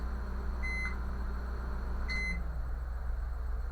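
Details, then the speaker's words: Brastemp microwave switched on: a heavy, steady low buzz under two keypad beeps. Current to the magnetron measured normal, and a faulty magnetron is blamed. "É porque quando ele fala uma zoada sendo que vai que vai ligar ele noventa porcento das vezes é magnetron tá"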